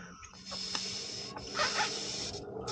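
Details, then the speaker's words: Kawasaki FR691 carburetor from a Toro TimeCutter 5000 that stutters and stalls without choke, off for cleaning: air blown into the fuel inlet hisses freely with float down, so needle valve is open. "A good way to check is just to blow on it. You hear that? It's getting it."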